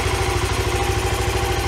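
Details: 1993 Yamaha Riva 125 scooter with a cheap GY6-type replacement carburetor: a steady, even putter at idle with a regular beat and no misses or hunting; it idles cleanly.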